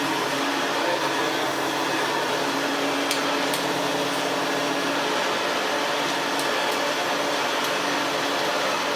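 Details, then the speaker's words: Hoover Senior 652a vacuum after refurbishment, with hair clips and dust cleared from the fan and the seized fan bearing greased: a smooth, steady motor whir with even airflow and faint ticks; runs normally. "And there we go. Doesn't sound so bad now. It's not got that big mass of hair clips and dust clogging up the fan."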